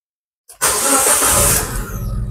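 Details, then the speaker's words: Proton Exora 1.6 turbo (CFE), about 12 years old, after replacing plug coil tubes and throttle body charge duct, before refitting cover: short crank, catches at once, brief rev flare then smooth idle; normal start. "Alhamdulillah sekali start saja lancar. Semoga lepas ni dia masih maintain eh."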